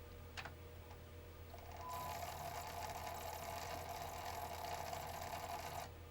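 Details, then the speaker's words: PlayStation 1 SCPH-9002: harsh, gritty whirr over a faint hum for about four seconds, then it stops. The disc drive grinds while seeking; owner suspects a power issue, unconfirmed. "Moment of truth. That still sounds like garbage, doesn't it?"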